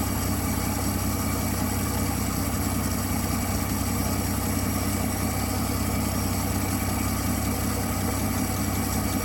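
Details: 1959 Dodge Coronet idling after fixing a sticking carburetor needle valve that had starved it of fuel: steady, even smooth low rumble with a constant beat, no misses or ticking; runs healthy.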